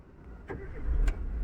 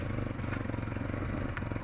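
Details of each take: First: Chevrolet Aveo after repair of idle RPM fluctuating at start: engine cranks briefly and starts cleanly without touching the accelerator (previously needed pedal pressed), settling to a steady low hum; normal start. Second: Chevrolet Aveo petrol, complaint of rpm rising and falling at start: steady even idle near 1500 rpm; throttle pedal stop screw apparently adjusted by mechanic, TPS 13.121 and fuel trim -39 not OK; readjust throttle.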